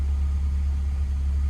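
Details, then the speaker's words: Honda K24 after head gasket replacement, warming up at idle waiting for the thermostat to open, no engine lights: smooth steady low hum with no misses, ticks or knocks; normal idle. "And all right, I got it running. We got no engine lights. I'm just waiting for it to heat up properly for the thermostat to open"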